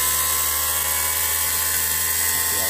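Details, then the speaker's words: T-72 tank electric engine oil pressure priming pump motor, rebuilt with brushes okay and nothing damaged, bench-spun with WD40: steady even high-pitched whine with no grinding or rattling; motor runs smooth and healthy. "nothing damaged just cross that will still spin yeah sounding like a motor"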